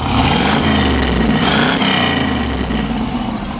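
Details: 1968 Camaro Z28 with a 302 DZ-block V8, about 40,000 miles, revved up: crisp V8 blips rise and settle cleanly with no knocks or misfires; a strong, healthy engine.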